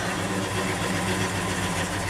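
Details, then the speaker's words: Cold 1963 Chevy 1-ton flatbed truck after sitting overnight at about 48°F, no choke, throttle feathered; low, uneven, wavering lumpy idle, runs unhappy until it warms. "You can hear she's not happy. A little heat built up into it."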